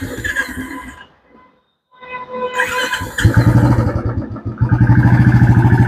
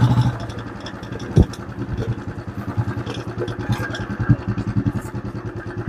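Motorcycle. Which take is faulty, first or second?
second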